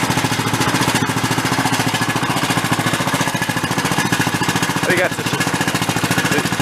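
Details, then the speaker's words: 20-year-old Cub Cadet riding mower after freeing a stuck, over-tight choke: fast even chugging at steady speed with slight tinny rattle, suspected internal muffler or muffler against frame; engine runs fine. "good it's a little tinny on the way off I think that's internal the muffler rattling a little bit or it might be mushed up against the frame"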